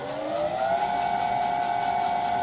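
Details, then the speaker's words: Vintage lathe motor on a new XYS-AT1 VFD replacing a 32-year-old Allen Bradley drive: smooth, steady whine rising slightly then holding even, no roughness; runs correctly, in the right direction. "now this sounds good. And it even runs in the right direction."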